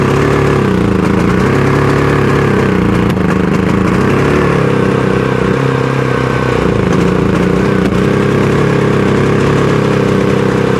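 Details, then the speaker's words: Predator 5000 generator, pull-started on propane after failing to start: engine hunts up and down every few seconds, runs rougher on propane and sounds like it's choking out; plug looked rich; rough surging. "All right. Definitely runs rougher on the propane. Um, and definitely sounds like it's choking itself out."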